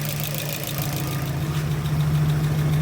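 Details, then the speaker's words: UMZ 4216 engine, 15-year-old GAZelle Business van, 527,000 km, rebuilt 30,000 km ago, at steady idle warmed to operating temperature with oil still cold; faint light tapping from hydraulic lifters. "Проблема стучит при запуске гидрокомпенсаторами. Вот прогрел до рабочей температуры. Масло еще холодное, масло не нагрелось."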